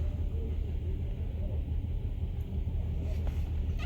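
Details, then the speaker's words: Uneven, lumpy idle with irregular stumbles on a 2015 Nissan Altima 2.5 with the check-engine light on. Codes are P0300 multiple misfire and P0014 exhaust valve timing. "ma 2.5 the vo cocaine come came in because his chicken is on and your idle is rough also it's like it's missing"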